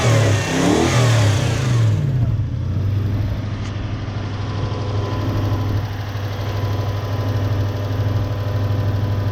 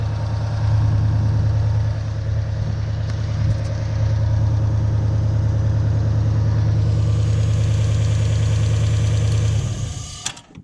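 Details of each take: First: 1UZ-FE V8 Toyota Hilux with lack of power and poor idle, running on only some cylinders: after swapping ignition coils over, quick revs fall back cleanly to a smooth, even idle with more twang, no misfire stumble; all cylinders firing. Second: 1UZ-FE V8 Toyota Hilux with lack of power, running on 4 cylinders from faulty coil: lumpy uneven idle, then stalls when a coil is unplugged as the igniter feedback loop detects no spark and cuts fuel.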